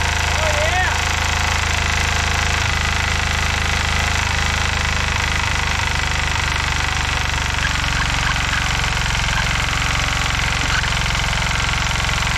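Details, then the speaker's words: 1970s Hatz diesel compactor roller: steady, even diesel clatter with a deep unchanging beat, no misses or knocks. The engine runs fine though the drums are stuck. Normal running. "so yeah this thing runs dandy but uh yeah we're definitely having problems with the drums here"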